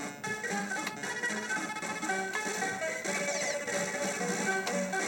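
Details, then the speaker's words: Mappy arcade PCB, sound fine when cold but degrading as board warms: game music warbly and smeared, temperature-related garbled sound; owner first suspected capacitors, finding points to faulty sound RAM. "Sounds terrible now. So if it's probably capacitors, I would think."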